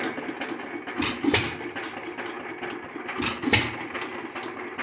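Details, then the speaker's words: Lauson 2hp hit-or-miss engine after cam gear replacement: slow uneven firing beats about every two seconds with mechanical clatter between; black smoke puff each firing, owner suspects running rich. "huh I wonder if she's running a little rich I see it Puffs black smoke every time it"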